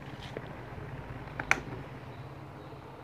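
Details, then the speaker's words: Miyako fan after repair of no-spin humming (open starting winding/capacitor path, worn shaft and front bushing replaced); tested at speeds 1 and 2, quiet steady hum with one brief click, no stall buzz: normal running. "Ini waktunya kita tes, coba kita tes ya, udah normal. Ini speed satunya, ini speed 2-nya,"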